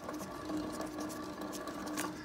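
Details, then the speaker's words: 2006 Ford F-150 front wheel bearing, a pressed-in bearing that is disintegrating and overheating. A whirring hum with a faint gritty ticking as the front wheel turns; it went quiet, then squealed at 45–50 mph. Worn front wheel bearing. "then it got quiet and then at 45 to 50 miles per hour it started squealing"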